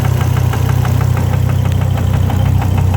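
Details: Volvo engine idling while being warmed up: firm, regular deep knock about three times a second on the low engine note. The owner is unsure whether the gauge shows real low oil pressure; oil and water pumps to be changed. Cause unconfirmed.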